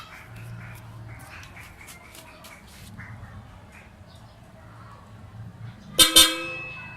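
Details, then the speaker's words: 2012 Nissan Urvan with newly installed Hella Supertones aftermarket horns, Hella relay, 15 A fuse, 14-gauge wiring: one short loud high honk, clean and strong; horn working normally. "Alright, ang lakas niya."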